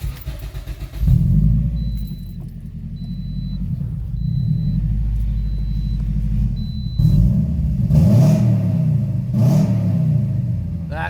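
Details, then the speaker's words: Toyota Corolla start-up after installing a new 3-inch resonator-back exhaust and recharging a dying battery: short crank, clean catch, deep steady idle with smooth blips; normal healthy start. "we're going to do a quick start up and drive out test see if she's all set"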